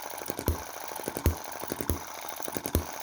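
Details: Cheap Chinese M19/EM2 hit-and-miss engine, carb inlet reduced with metal putty: a sharp firing pop about every three-quarters of a second with light coasting ticks between. Normal hit-and-miss cycle after tuning.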